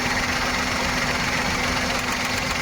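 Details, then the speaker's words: Maruti Suzuki Wagon R running on CNG, misfiring but fine on petrol: sharp, fast ticking over a steady idle that stops when the number 3 CNG injector is unplugged; that injector is overflowing gas. "जो तीन number का injector है व हमारा CNG overflow कर रहा है इसकी वजह से हमारा आवाज आ रहा है"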